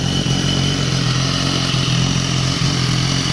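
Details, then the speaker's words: 2014 BMW S1000RR, 17,000 km, at idle: light metallic clatter over the exhaust note that sounds like engine noise but is the exhaust flap valve rattling; fixed by locking the valve. "A válvula. Ó. Olha o barulho no motor. Soltei. Ó. Bate como se fosse o motor, ó."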